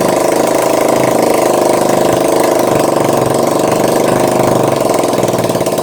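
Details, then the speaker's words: Honda ATC three-wheeler, started on choke after sitting, before starter motor removal for sluggish cranking: small single running steadily and evenly at raised choke idle, no knocks or misses; normal choke idle. "Okay, so we're going to need a bit of choke again, aren't we? Because it's been a while. So, a bit of choke, ignition's on."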